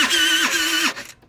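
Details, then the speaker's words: TaoTao 50cc Chinese scooter, bought not running, electric start with brake held: two strained high-pitched starter whirs sagging under load, then cuts out; sounds binding, owner suspects non-functional kickstarter mechanism. Abnormal cranking noise. "It sounds like the motor is binding up, and I bet it has to do with the fact that this Kickstarter is not functional, because it's not a normal starting sound."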